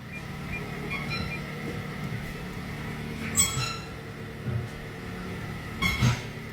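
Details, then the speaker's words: Mitsubishi Outlander rolling with a suspension noise the customer likens to a clown: a couple of sharp, high squeaks over a low rolling rumble, a squeaking suspension joint. "So, here's one you don't hear every day. Mitsubushi Outlander with a suspension noise. Customer says it sounds like a clown."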